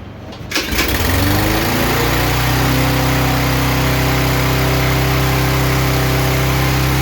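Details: Yard Machines lawn mower after repair of a no-run condition: the pull-start catches in under a second, then settles into a steady, even drone with no surging. Running properly.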